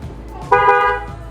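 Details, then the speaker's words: Newly installed waterproof Denso trumpet horn on a car, mounted behind the front grille and plug-and-play onto the old relay and harness, heard from inside the car: one clean half-second blast, a strong, steady, clear tone, a healthy horn. "Nah, itu kayak gitu ya suaranya ya."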